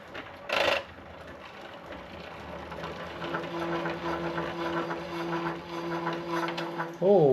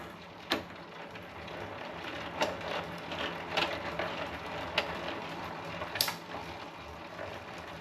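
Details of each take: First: Raleigh Superbe bicycle with Sturmey-Archer 3-speed hub, on bike stand after gearbox oil change, crank turned: steady buzzing vibration drone; gear cable rubbing on the tyre, fixed by repositioning the cable. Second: 1984 Raleigh Superbe bicycle with Sturmey-Archer 3-speed hub, chain guard off during gearbox oil service, in top gear: quiet smooth spin with soft chain/hub ticks; earlier vibration was just the cable, now running nicely.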